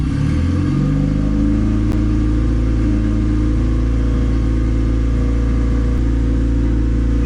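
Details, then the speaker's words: Turbo D16Y8 Honda Civic during street tuning on a Crome basemap: idle climbs then holds a steady fast hum; vacuum line popped off the idle air control valve causing high idle. "I think my idle air control valve is messed up [Music] yeah you found the issue y'all line popped off the idle air control valve damn always another thing to fix on here"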